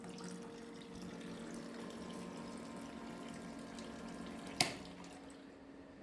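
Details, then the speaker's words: Small battery-powered pump in a homemade portable workshop wash tank, switched on by a toggle switch: a steady hum under trickling, splashing liquid, with one sharp tap midway. It is circulating fluid normally. "donc j'actionne l'in terre enfin le commutateur voilà on entend la pompe qui tourne"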